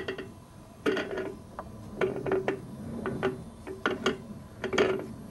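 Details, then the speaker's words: Rockwell Delta 15-665 drill press being refurbished, electricals removed, spindle turned by hand: uneven bursts of rough metallic clatter and ratcheting from worn spindle bearings, which need disassembly. "can hear the bearings i think that's not ideal so and there's nothing it's just bearings that are doing that"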